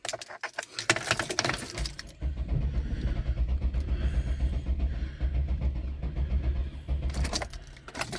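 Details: GM 3800 engine after Dorman upper intake plenum replacement for a melted plenum, possibly flooded with fuel and coolant in cylinders: starter cranks steadily about four turns a second for five seconds, never catches; crank no start.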